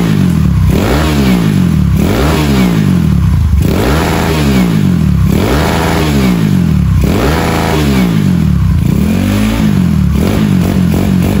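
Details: Honda Beat carburetor engine rebuilt to 130cc with standard valves, new parts broken in at idle first: quick throttle blips, revs climb fast and drop cleanly with no misfire, quiet exhaust; healthy revving.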